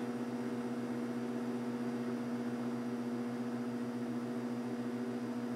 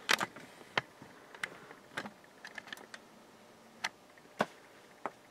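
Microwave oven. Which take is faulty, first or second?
second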